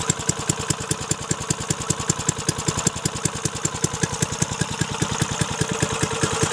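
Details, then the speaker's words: Briggs & Stratton 3.5 HP engine, little used, after freeing a jammed choke and fixing the carburettor: crisp, even popping at a steady idle with regular firing pulses and no misses or knocks, running healthy. "Mikey she runs awesome beautiful"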